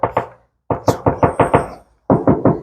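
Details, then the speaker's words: BMW E30 325iS EVO1 body panel before restoration, where the paint gauge reads around 590–902 microns. Knuckle taps give dull, muffled, hollow sounds with little ring, indicating thick body filler underneath. "There must be fuller, and I can actually hear that. There's fuller."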